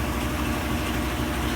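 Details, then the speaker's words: Hotpoint top-load washer after drive belt replacement, test load cycle: even, steady rumble with smooth whoosh, no knocks or squeal as it spins up; normal spin, repair appears successful. "If it completes this load, I think we'll have it fixed. And it's spinning, so I think we'll probably fix this one."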